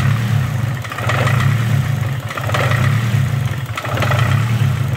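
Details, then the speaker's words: Nissan SR20DET (S13/180SX/240SX) after an intake plenum gasket change, with the idle air control screw fully closed: a rough, lumpy idle hunting and sagging about once a second, starved of idle air. "when when the idle screw was all the way closed it idled rough like this"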